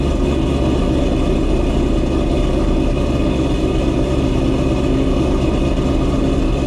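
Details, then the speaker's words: Supercharged Ford GT500 V8 back from a road trip, after fixing a vibration and rattle from a loosened fastener; deep, steady, even idle with no misses, knocks or ticks; normal healthy idle. "Chopping good, sounds good. Pretty stoked about how this whole thing is working out. Just a damn good sounding car, you know what I mean?"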